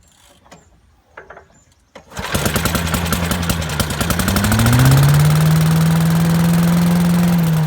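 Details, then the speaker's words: 1980s Billy Goat vacuum single-cylinder engine after fresh fuel and carb cleaner: quiet pulls, catches about two seconds in and builds to steady even running; needs extra pulls, owner suspects low compression, but runs like a champ once started. "well folks hey looks like it works looks like it just uh I don't know needs a few extra pulls maybe low compression or something but runs like a champ once it runs"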